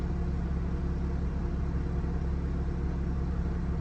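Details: Country Coach diesel motorhome after alternator belt and bearing work, near 180; suspected turbo boost leak after a pop on a hill: steady even low rumble at idle, no knocks, ticks or squeals; normal idle.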